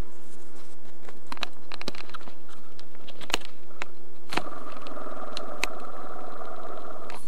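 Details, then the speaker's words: Crash-repaired RC plane brushless motor: the tail bearing, rolled by hand against the microphone, gives a light even whirr with handling clicks and no grinding. It is ungreased and smoother than the bumpy front bearing. Smooth, healthy bearing. "it's much smoother you're gonna hear some noise these bearings aren't packed with grease so you're gonna hear some noise"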